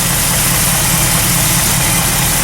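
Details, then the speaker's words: Carbureted engine on a cold start after sitting a long time, fresh fuel: steady, even idle with no misses, knocks or hunting; normal idle. "No, that sounds sweet, eh? And look, they're moving."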